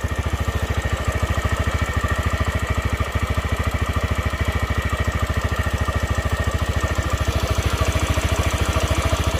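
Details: TVS Raider 125 single-cylinder motorcycle at about 28,875 km, idling: a sharp regular "ting ting" tick on each firing pulse, about 160 a minute, from the top end; cause suspected, not confirmed.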